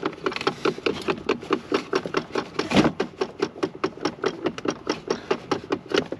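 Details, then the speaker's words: Blend door actuator found behind the dash with the trim removed, the hard-to-reach one identified as the clicker: sharp ticking, about two to three clicks a second, no engine running; failing actuator skipping its gears. "yep cool all right you can see this guy right here I'm pointing to that's that's our clicker of course the Hard One to get to"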